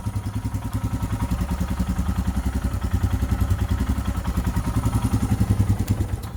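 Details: Royal Enfield Himalayan at 13,392 km, just after valve clearance (tappet) adjustment, exhaust sound: crisp single-cylinder thump at about three and a half beats a second, even and clean with no tappet clatter; runs properly, occasionally backfires.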